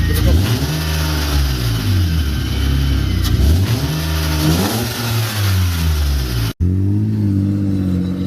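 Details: BMW E36 M52 with M54B30 inlet cam, after replacing the crank sensor, cleaning the idle control valve and fixing air leaks: clean, even revs climb and fall smoothly with no misfire, stumble or knock. Normal revving.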